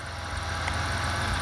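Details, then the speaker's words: GM 3.1/3100 V6 petrol after warm-up idles with a steady, even low hum. The piston slap heard on cold start is gone, which is normal for these engines. "the slapping sound is gone away so to who anybody who thinks that's a problem when they first start up their 3.1 right there 3.1 do anybody who thinks that something's wrong when they hear that there's nothing wrong it just it's just the way the motors are"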